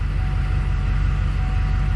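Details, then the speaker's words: 2005 GMC Sierra 2500HD that was dead and would not start: after swapping the battery it fires right up and settles to a low, steady, even idle with no knocks or squeals; no warning lights, over 14 volts; battery was the fault. "Let's go ahead and try firing it up. There you go, fired right up."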